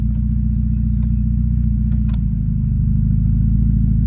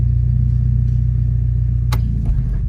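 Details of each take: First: Automatic transmission that used to bang into gear because of a faulty park/neutral safety switch bracket, after the bracket repair: steady low engine rumble with no clunk as it drops smoothly into reverse. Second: Automatic transmission with the engine running, shifted from park into reverse with the brake held: steady rumble, then one hard bang that shakes everything. The gear slams in; a faulty safety neutral switch is suspected rather than a bad transmission.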